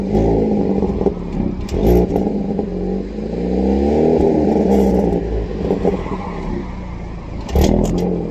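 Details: 2020 VN, engine revving with uneven metallic clicks, clatter and light ticking over the exhaust note; something loose rattling in the exhaust.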